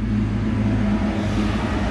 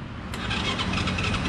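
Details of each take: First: Motorcycle that had died, running on a substitute IC Z-Con ignition module, revved: strong, even rev with no misses or stumbles; ignition firing cleanly; original fault was a burnt ignition coil. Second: Motorbike that had died and won't start by kick or electric starter, with the ignition control unit plugged in: even, rapid starter whirring with no firing pulses. Cranks but won't start because the ignition coil is burnt.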